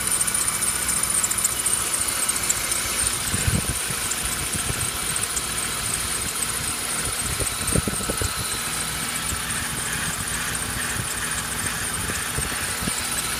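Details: BMW E36 with M50B25 engine and air conditioning: a constant high-pitched squeal over the idle. The owner suspects a failed pulley or roller. Belt or pulley squeal, not confirmed.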